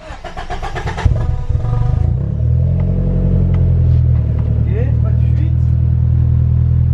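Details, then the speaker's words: Nissan S13 after replacing the fuel pump and filter: cranks about two seconds, catches first try and settles to a steady, even idle, owner feels it now runs richer; normal start and idle. "Ouais, c'est nickel hein."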